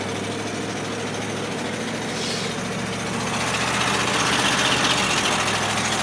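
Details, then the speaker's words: Old farm truck at soybean harvest: engine idles and pulls slowly with a steady puffing tick from an exhaust leak under wind noise. "Can hear that exhaust leak."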